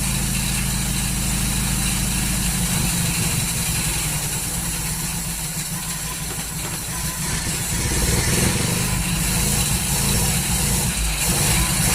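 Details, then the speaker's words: 1939 Hillman four-cylinder with an AC fuel pump problem chugs unevenly at idle, about four lumpy beats a second, running rough and misfiring; owner suspects the ignition timing is out after adjusting it. "Well, it lives. Sounds like a bag of rubbish."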